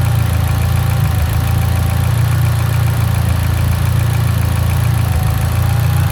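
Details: Mitsubishi Evo X idling rough: deep, loud idle hunts and stumbles with uneven beats, suggesting a lean idle misfire; cause suspected, not confirmed.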